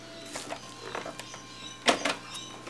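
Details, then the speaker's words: Aiwa Mega-CD CSD-GM1 playing a Mega Drive cartridge: game music thin and tiny with almost no bass, as if amplification is missing; resetting the console restored proper sound. "that that's terrible it sounds awful tiny there is no base going at all it's running a Mega Drive cartridge off"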